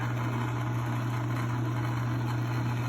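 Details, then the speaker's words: Logan lathe bought used, after adjusting a shaft that sat halfway in so it rides fully in both bearings: even, steady low hum with no knocks, rattles or wavering pitch; runs smooth, normal. "Uh, well, let's fire it up. runs smooth and safety feature."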